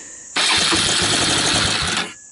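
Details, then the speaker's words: 1999 Suzuki Quad Runner LT 160 ATV with aftermarket 12V CDI and possibly swapped carburetor: catches and fires hard for about 1.5 seconds on starting fluid, then dies; carburetor throttle and choke found misconnected. Fuel delivery fault. "wow sounds like it wants to run here let me do something with the carburetor cuz it sounds like a runner and see if we can't make this thing run run"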